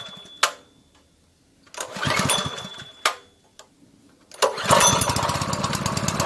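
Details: Honda GP160 likely two-inch water pump engine, stored unused probably over a year and wouldn't start, after carburetor work with the fuel line and spring refitted: a couple of sputters, then a steady, even putter; starts and runs normally.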